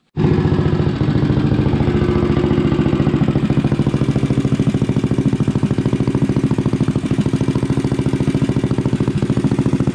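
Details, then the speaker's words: Rascal GT cruiser minibike with a DIY pit bike muffler bolted on by a bracket and floating unclamped on the pipe: small single thumping at a steady, even idle with a mellow exhaust note; healthy, the right amount of noise. "So I think this thing sounds fantastic with that pit bike muffler on there. I mean, it's just the right amount of noise with a nice tone."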